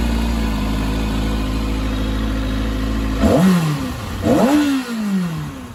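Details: Kawasaki Ninja ZX-6R after fuel pump assembly diagnosis: smooth even idle, then two quick throttle blips rising and falling cleanly; normal running.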